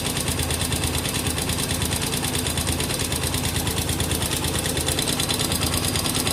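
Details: Honda XR200R, recently bought: single-cylinder idle with a sharp, regular tick about three per second; owner suspects abnormal engine noise, cause not yet identified.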